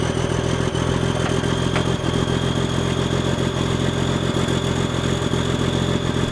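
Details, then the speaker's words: Semi truck sitting about 23 to 30 years, started cold before loading on a trailer: big diesel with a steady, even low chug and light injector clatter, no misses; healthy cold idle. "I need to start it up and and crank the wheels a little bit so it'll roll up on the trailer better let's see if it cold starts as easily as it has"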